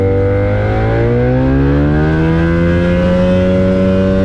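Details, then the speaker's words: Avid Flyer with Rotax 670 two-stroke, last taxi test, after trouble was attributed to a dirty air filter: clean, steady high buzz climbs smoothly and holds near 6000 rpm without stumbles or misfires. A healthy full-throttle run. "again happy little airplane so i think i was right in my determination of a dirty health filter"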